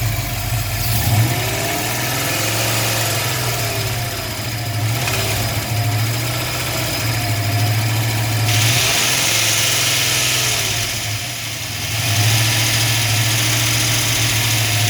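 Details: Dodge Dart petrol engine at idle: steady, fairly regular knock of about three to four beats a second; cause suspected, not confirmed.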